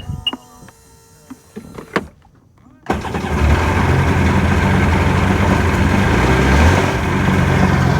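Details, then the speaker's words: 2002 Sea-Doo GTX DI with maintenance light above about 3,000 rpm, after stator, crank position sensor and new used plugs: engine catches and idles with uneven stumbling beat and skips, misfiring; cause unknown, owner suspects bottom end. "don't even need to go out. I hear it skipping. Oh boy."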